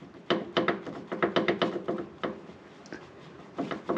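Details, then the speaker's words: Land Rover Discovery 3 (LR3) front wheel rocked by hand before steering rod replacement, not the wheel bearing: dull wooden clunks about four per second from loose inner tie rod ball joint; worn inner tie rod ball joint knock. "is the inner ball joint which gets loose i don't know if you can"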